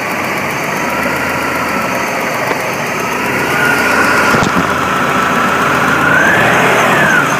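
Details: 1998 BMW E46 318 M43 1.9 petrol at rough idle: uneven, lumpy pulse about four beats a second; problem comes and goes suddenly, worse after alternator rework, owner suspects something touched when detaching the alternator.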